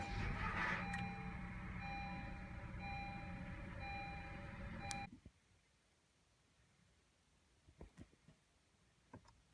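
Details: 2016 Honda Civic EX-T sedan at start-up: a rough, gritty grind over the engine for about five seconds as it fires up, then quiet; grinding noise at start-up, cause unclear.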